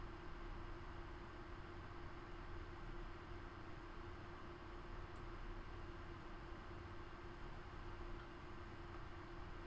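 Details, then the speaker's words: Custom Corsair 780T PC with two Gigabyte G1 GTX 970s, HX750i PSU, H100i, six fans, at full load running Crysis 3 ultra 1440p: soft steady airy hum, one low tone, no ticking; normal quiet fans. "I'm going to switch back to Crysis 3 now, so you're going to be able to hear it at full load, running at ultra graphics 1440p, both cards, 6 fans in total. You're going to be really surprised how quiet it is."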